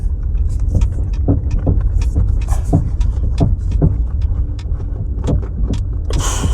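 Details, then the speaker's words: MG ZT 120 (1.8L naturally aspirated K-series, about 1400 kg) driven over a speed bump: repeated heavy low thumps about two per second over road rumble; front suspension clunk, near side front, possibly anti-roll bar related (suspected). "oh right so that sounds so that's that's near side front I would say could be anti-roll bar related"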